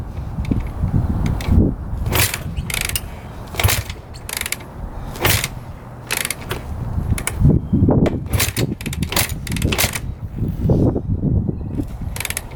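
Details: 2006 Honda CRF250R, fully rebuilt by the previous owner but never fired, kicked on choke with fuel flowing to the carb: ratcheting kick strokes about every second, never firing, odd loose-cam-chain-like sound; later blamed on a clogged carburetor.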